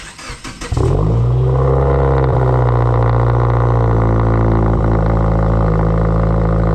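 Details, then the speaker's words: Subaru Forester XT cold start: catches on the first crank, then a loud, steady fast idle that quiets after the startup enrichment, which is normal. "See, it quiets down after, I guess, the startup enrichment."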